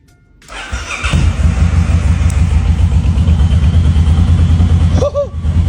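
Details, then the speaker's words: Suzuki M109R motorcycle, first start after engine rebuild and reinstall: starter whirs briefly, engine catches first try and settles into a deep, even, lumpy idle with no knocks; healthy start. "一把着车。太棒了！很暴躁啊，这才是铃木他该有样子，真是太帅了。"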